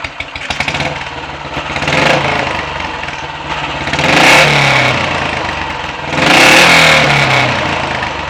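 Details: Royal Enfield 500 single after top-end rebuild with a shortened barrel and the exhaust cam advanced one tooth, with ignition timing, throttle stop and mixture adjusted; warm, it revs cleanly in three blips and returns to an even idle; normal revving.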